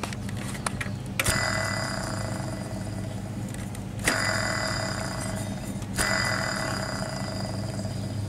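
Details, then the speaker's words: Hand-spun newly bolted onboard-air compressor idler pulley on a Jeep Wrangler YJ (no factory AC) gives a gritty, ringing whir after each flick; the bearing is bad, so the pulley will be replaced with a YJ pulley. "that bearing yep this this baby's bad so i am about to run to the parts store and get another belt i mean another pulley"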